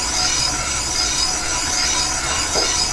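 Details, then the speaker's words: Minneapolis-Moline X231 prototype bolster casting being line-bored on a flat-belt lathe setup, first roughing bit: continuous even hissing cut with no skip or interruption, now cutting all the way around 360°, nice chips; steady uninterrupted boring cut. "you hear it in the cutter you don't have that uh that skip that Interruption really nice chips coming off this thing too"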